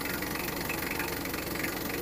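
Even diesel idle clatter with a steady rhythm and no odd knocks or hiss; the engine sounds healthy.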